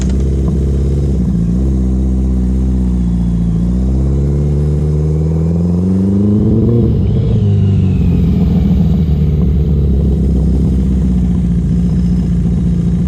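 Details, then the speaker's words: Restored Yamaha XJ650 motorcycle, not yet run in, revving smoothly higher up but turning lumpy and uneven at low revs; rough low-rev running the owner suspects is a rich mixture with the idle set too high, running properly from about 4,000 rpm. "i'm not sure if you can hear it but down low it's got a bit of a misfire not a misfire it's just not running properly i think it's running rich and the idle's too high"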